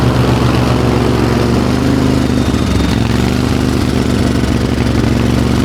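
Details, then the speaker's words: Craftsman GT riding tractor with 20 hp Kohler V-twin that stalls under load: runs with uneven stumbling beat and lumpy low throb; miss in one cylinder, suspected spark, compression or loose valve, not confirmed. "Oh, now it'll start. It sure sounds like we got a miss in one of the cylinders here."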